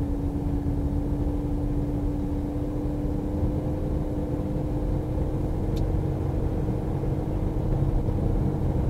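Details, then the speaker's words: Renault Koleos 2.0 Blue dCi 190 with X-Tronic CVT and 4WD, while driving: a continuous mid-pitched whine over the road rumble, the normal CVT gearbox noise, absent from manual or conventional automatic cars. "Și acum din nou, e ca un vâjit în continuu așa, care este diferit de o mașină convențională."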